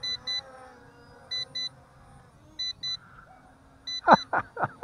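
Short high double beeps repeat roughly every 1.3 s over a faint motor whir, the drone's low-battery warning before the pack runs out.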